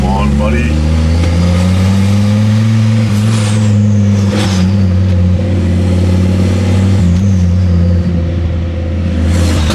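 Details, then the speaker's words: Ford Focus ST/XR5 Turbo with a severe misfire: rough uneven revving with a sharp puffing chuff from the front of the engine, where the exhaust bolts came off at the turbo downpipe joint and it is leaking. "so you guys can definitely hear that and I can definitely smell it but the exhaust is actually not bolt at the moment um it's actually come loose so the bolts come off on the exhaust from where the turbo is"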